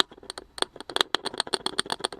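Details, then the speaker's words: 1965 Symphonic cardboard-cased record player speaker, cone pressed with a Q-tip; irregular scratchy crackles and ticks; voice coil dragging, possibly from an obstruction in the magnet air gap. "and that speaker actually sounds like it has a dragging voice coil possibly because of an obstruction in the air gap"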